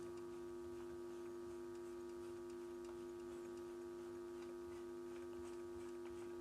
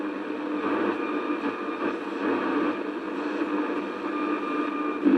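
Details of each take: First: Philips Model 148 tube radio after tube replacement: only faint hiss and steady low hum while tuning across the band, no stations; dead front end, oscillator not working from a shorted oscillator trimmer capacitor. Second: Philips Model 148 tube radio, after a full set of replacement tubes and the fault that left it deaf was traced: a steady, even hiss of band noise with no crackle or dropouts. The receiver is picking up normally.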